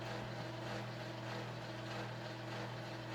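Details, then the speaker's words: Early-1980s Panama Fan Co gear-driven 52-inch ceiling fan, mostly plastic, with replacement blades, running: steady droning hum with several fixed tones under a soft whoosh; loud gear noise resonating in the open plastic housing, squeak possibly needing grease. "and it doesn't help that that plastic housing is completely like open so the S gives that sound some space to resonate acts like a resonation chamber"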